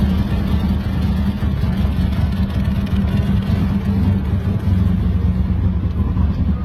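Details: Lexus IS300 with built 2JZ-GE turbo engine, first start: deep, lumpy idle with uneven, wandering rumble and no steady beat; running rough.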